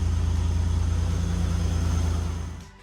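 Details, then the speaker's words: Buick Grand National after exhaust pipe leak repaired and welded: smooth, even low idle pulses with no puffing or rasp from exhaust before shutoff; sounds sealed, normal idle. "all right let's start it up see what it sounds like [Music] yeah that's nice and quiet again"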